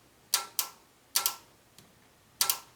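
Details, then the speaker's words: 2009 Subaru Forester 2.5 L with code P0028 and check engine light on, engine off: the VVT solenoid gives crisp clicks in small pairs about half a second apart when energized; a click doesn't rule out a stuck solenoid. "Did you guys hear that? So the solenoid clicked."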